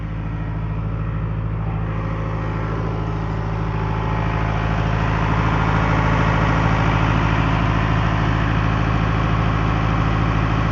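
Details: Late-1980s Caterpillar 943 track loader diesel idling while warming up; smooth, even low rumble settling steadily, no knocks or misfires; normal healthy idle.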